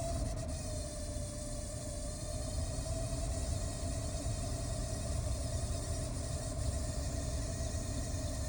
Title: 2013 Chrysler 300 Turn heat on and makes this noise HELP!